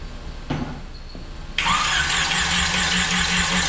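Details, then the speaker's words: Mini rail dragster with GM 3.0 engine, TH400 and carburetors, first start attempt: starter spins engine at steady even beat with good oil pressure but it never fires; owner suspects bad fuel pump, plans gas down the carburetors. "Good oil pressure. Nada. I wonder if the fuel pump's bad."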